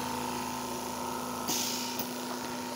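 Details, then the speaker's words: Stratus OTS-5 oxygen concentrator after its faulty compressor was replaced with a new unit: steady, even compressor hum with a brief hiss of valve switching midway and no knocks. PSA process active, drawing 2.8–3.1 A, oxygen about 90.7%. Running normally. "Ya está trabajando nuestro compresor y ahora ya hay proceso psa veamos excelente proceso PC activo"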